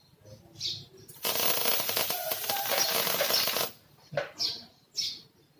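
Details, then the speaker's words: Polytron Slim One 123 CRT TV: dense hissing crackle, like boiling water, from high-voltage sparks arcing around the flyback transformer's rubber; risks killing power-supply switching components or damaging the tube glass. "Oh ya ini jelas berbahaya karena jika terjadi loncatan dari sini loncatan yang api besar seperti itu dia bisa mengakibatkan komponen ada yang mati"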